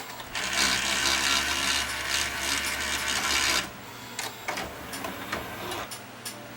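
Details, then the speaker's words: Toshiba VM42 Betamax VCR at the end of tape loading: small whirring mechanism stops with a few sharp ticks and clicks as the cracked gear jumps, a ridge on it running against the neighbouring gear. "And when it goes when the tape finishes loading, you'll see that this is going to jump. See that? Now this ridge is running up against the gear here. That's what you hear. That's the noise you hear."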